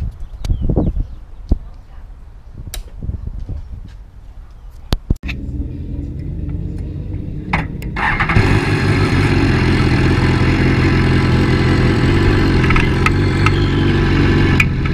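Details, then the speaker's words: BMW S1000R cold startup after fitting a manual cam chain tensioner: some clatter, starter catches around eight seconds, then a steady even idle without the chain slap heard before; normal cold start. "the startup Brattle especially cold startup it just sounds better"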